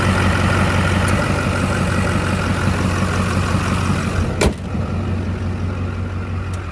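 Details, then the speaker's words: Duramax diesel with fairly fresh rebuild, after fixing typewriter tick, just cold started with glow plugs, recorded outdoors: deep, steady idle with no sharp rapid ticking over the rumble; valvetrain quiet and healthy. "so you can see it's quiet now"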